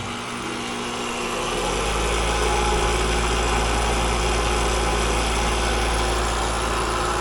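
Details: AC condensing unit starting up: loud, steady hum with an even rattle about four times a second; noisy chattering compressor, suspected too much refrigerant returning or scroll plate, refrigerant levels to be checked.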